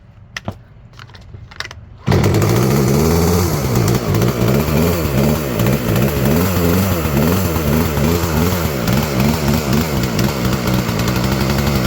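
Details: Craftsman chainsaw that wouldn't start from clogging (flooding), cleared by pushing the choke in and pulling: quiet handling, then it fires and settles into a steady, slightly uneven two-stroke buzz running on its own; running fine now.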